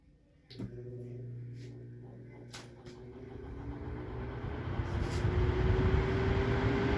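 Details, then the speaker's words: Mains-powered fan repaired with its fuse bypassed and motor re-greased; after a click the motor hums up to a smooth, steady whir, changing with each speed step, no rubbing or rattle; normal running after repair. "Y ahí el ventilador trabaja sin ningún problema. Se escucha perfecto, se escucha muy bien. Está suave porque tiene la grasa."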